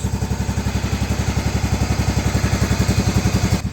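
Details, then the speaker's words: 1994 Cub Cadet 2135 Series 2000 riding mower after carburetor cleaning, running after 36 years sitting: strong, even low thumping with no knocks or misses, engine running steadily. "36 years of this mower not running. And it's running."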